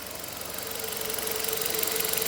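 A fast, even knock about ten times a second rides over the running engine and grows louder as revs climb; the engine is knocking.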